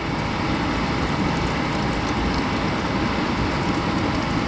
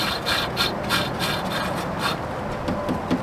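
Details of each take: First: Suburban RV furnace after clearing clogged, locked-up combustion fan, suspected bees nest: steady, even rushing roar without surges, knocks or rattles from blower and burner; normal furnace blower and burner operation. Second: Suburban RV furnace not heating, fan turned slowly by hand: dry, uneven scraping rub on each push, blower wheel dragging on something; suspected obstruction such as a bees nest in the housing, not confirmed.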